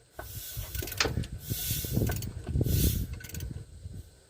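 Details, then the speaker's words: 1978 Ford F-100, spark plugs out, engine turned by hand with a ratchet: airy hiss from the No. 1 cylinder plug hole on the compression stroke, approaching top dead center. "You'll hear it start making compression. It'll start hissing at you. Here she comes. Hear it hissing."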